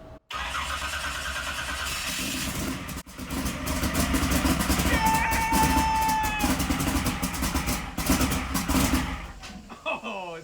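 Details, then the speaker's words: First start of a 711ci Sonny Leonard twin-turbo Hemi in a 19-foot Placecraft jet boat after nearly six years of construction; big V8 catches almost at once, runs loud and lumpy about eight seconds, then shuts off; starts and runs. "ready did you hear that it made noise oh it's been like six or seven years that was cool"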